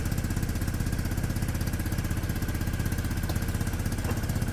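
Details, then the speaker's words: Peugeot Satelis scooter, 31,000 km, sat two years, cold and warming up after immobiliser fix where the CDI plug reportedly needed reseating; even, steady idle, smooth low thrum about four beats a second, no misses or rattles; normal idle. "sounds great I need to let it warm up poor gu's been sitting for 2 years"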